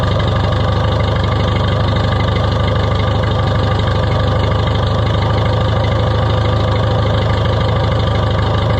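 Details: Oliver 66 tractor running again after repairs including a new gasket: deep, steady low-speed idle with an even beat and no knocks or surges; coolant loss suspected, possibly needing air bled from the cooling system.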